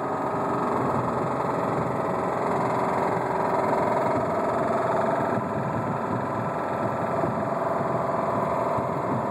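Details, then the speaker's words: 2007 Subaru Outback with a spun bearing, driven 14k miles since, on its final freeway run at about 60 mph with check engine light on: rough, rapid rod knock under heavy road and engine drone. It had already stalled once and later seized. "there you go check engine light on you can obviously hear the knock we're almost there"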